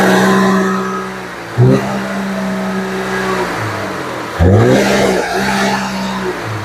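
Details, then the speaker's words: 2011 Audi Q5 (CDNC engine) after replacing spark plugs and two coils for a severe misfire (P0301, P0302) and stalling: idles evenly, revs cleanly twice, sounding much better than before. "Yeah. So, it definitely sound much better than before."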